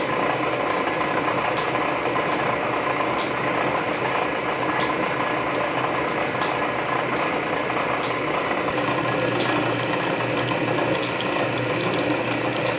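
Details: Canedy Otto drill press in back gear after belt re-lacing, drilling under power feed: steady geared hum with soft feed-ratchet clicking about once a second; gear reduction torque masks the still-slippery main drive belt. Nothing amiss.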